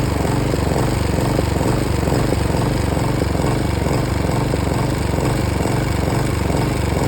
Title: Hyft60sp Mower misfiring